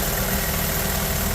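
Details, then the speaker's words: Vauxhall Corsa petrol engine that had loud hydraulic tappet tapping, after the fix and reassembly, idling: steady smooth even hum with no rattle from the top end; normal idle, no tappet noise. "Now, this, as you can hear, there's no rattle."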